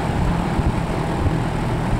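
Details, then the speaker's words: 1966 Lakewood Country-Aire fan, long used in a small engine repair garage, running after cleaning and restoration: smooth even low hum, no rattle, wobble, scraping, vibrations or unusual noises; motor spins steadily, normal running. "Much better. No vibrations, no unusual noises,"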